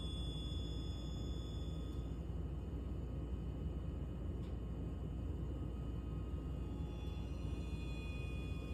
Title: @RogerWakefield water heater is making this sound? Sounds like an airplane when it’s turning off